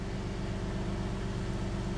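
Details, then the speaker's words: 1999 Porsche 996 Carrera Tiptronic flat-six, first cold start after an engine-out service with oil level checked perfect; steady, even, smooth idle with no knocks or ticks, sounding normal. "okay so let's see what happens powering up doing quick oil check yep oil level is perfect Auto all right let's see how she does sounds great"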